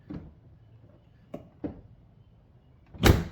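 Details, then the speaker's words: Used Tesla Model S after an electrical glitch fixed with fuses: a few short soft clicks from the door handle actuators, then a solid door slam; door handles and window switches working again, normal operation. "Let me see. Let's see. This is what we want to hear. Yes. All right. Our door handles are back in business."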